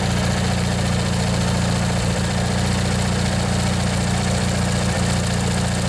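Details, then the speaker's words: Old Montgomery Ward/MTD riding mower, 16 hp Briggs & Stratton flathead opposed twin, after replacing the worn starter motor. Deep, even thrum at steady speed, no misses or rattles; slight smoke expected to burn off. Runs normally. "let this run a bit let you guys listen if you want yeah it runs real nice you can see it's kind of smoking a bit but it'll burn out i'm"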